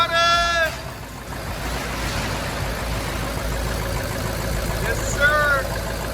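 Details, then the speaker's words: Abandoned Ford F550 diesel starting after replacing the lift pump with a new aftermarket one, having cleaned the harness without success; fires right up with a steady, even roar and light turbo hiss, no misfire or knock; normal running after start. "So we decided to just switch it out and see what it do. And as you can hear, this thing fired right up. We're really happy about that."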